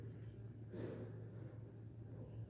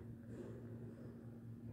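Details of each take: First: Elevator car descending: low steady hum broken by rough scraping bursts; a loose guide shoe protection plate shifts out of position on descent and rubs the guide rail. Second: Elevator car rising with a low, even hum and no scraping or rubbing from the guides, where the dry-guide noise occurs only on descent; a visibly loose guide-shoe protection key seats properly going up.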